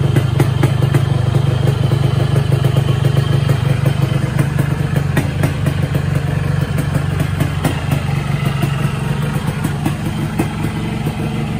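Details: 2007 Yamaha RX King two-stroke motorcycle, unused about 2–4 years, started after only refilling fuel and a few kicks, previously repaired; rapid steady two-stroke popping idle with even beat and some clatter, runs fine; clutch stuck, to be repaired next.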